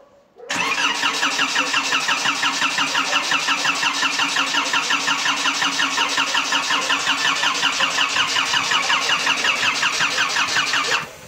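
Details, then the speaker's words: Škoda 1.4 MPI turbo, first start after engine install and a starter fix, with swapped hoses corrected: steady cranking at about 167 beats per minute for ten seconds, never catching on petrol; it fires only on sprayed cleaner. No start. "No a benzín bez pokiaľ nestrekam čistišč, tak to nejde."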